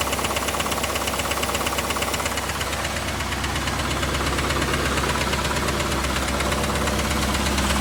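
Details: Chevrolet Camaro IROC engine at idle, mic moved around the engine bay: steady sharp clacking tick about 100 a minute beneath general ticking; internal knock, top-end or bottom-end source still to be chased; glittery oil previously seen.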